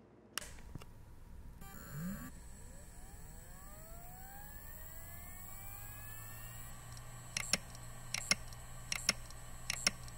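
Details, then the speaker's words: Failing Samsung Barracuda hard drive in Iomega enclosure spinning up with rising whine, then sharp repeated head clicks; physical damage suspected, opened afterward. "when hard drives fail they usually make some noise and sometimes you can see the physical damage"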